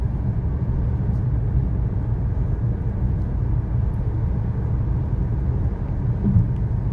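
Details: 2013 Chevy Sonic, 75,000 miles, road test after replacing both front wheel bearings and lower ball joints: only smooth, even road rumble at steady speed, no growl or hum; bearings quiet and healthy.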